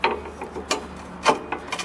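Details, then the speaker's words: Snowblower auger pulley turned by hand with the engine off and auger disengaged: irregular dry scraping as the auger brake rubs on the pulley. Normal; the brake stops the augers when the lever is released. "well what that noise is is like a brake system that goes around the pulley to make them stop quicker when you release the augur lever so it's totally normal that you hear this noise when it stopped like this"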